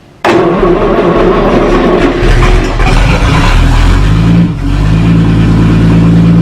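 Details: 1937 Talbot saloon with a 3.2-litre six-cylinder engine, laid up since the mid-1970s, fuel system temporarily by-passed with fuel added and a hand over the inlet as a choke. It catches sharply on the starter, then settles into a steady, even, low idle with no knocks.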